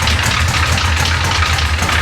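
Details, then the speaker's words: Hurricane-flooded 1966 Chevy Impala 427, just started after starter replacement, distributor vacuum line not connected: lumpy, uneven low idle with irregular pulsing and hissy top end, close to dying; rough idle, owner feels engine needs tearing down. "there it is there it is he's running hell yeah take a listen to that engine still doesn't sound great no sounds a little"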